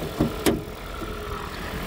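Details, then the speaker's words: 2012 Toyota Prius with 213,000 miles, after a fix for morning shaking and popping traced to the spark plugs: two brief clunks, then a quiet, steady, even idle with no knocks or ticks. It now runs perfectly. "Pero pues ahí está, quedó, corre perfectamente bien, no tengo ningún problema."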